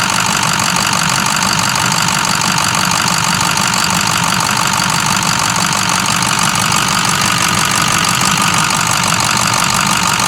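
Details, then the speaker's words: 2006 Ford 6.0 Powerstroke diesel, idling: loud, rapid, fairly even injector ticking over steady idle; runs well, louder than the Cummins, normal Powerstroke injector clatter. "Makes too much noise though compared to the Cummins. Those injectors are, I guess that's the Powerstroke thing. They're just loud."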